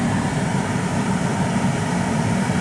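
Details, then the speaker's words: 1993 Chevy Astro van (4.3 L) replacement blower motor after cleaning ground connection: steady even low whoosh, no squeal, tick or wobble; blower running smoothly, good air pressure. "And we have a good ground and the motor is working. Okay, that's a done deal, and now the blower is working."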